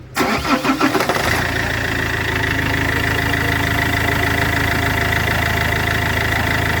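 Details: Iveco 2.3 16v diesel starts and settles to a steady idle with a constant high whine over it; damaged turbocharger.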